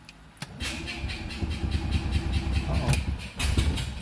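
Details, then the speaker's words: Microcar engine, choke on, small battery, first start attempt with fresh oil: uneven starter bursts about once a second, no catch, sounds flooded (suspected), small backfire, then catches with a little throttle. "oh sounds like it's flooded let's try this little backfire there"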